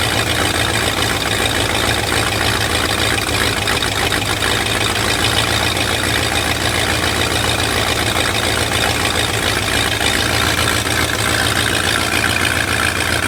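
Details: Lifted bullnose Ford carbureted V8 truck running after sitting almost 4 years, carburetor just cleaned and rebuilt, being tuned: steady, even idle with low throb and hissy top end, no misses or knocks; normal idle.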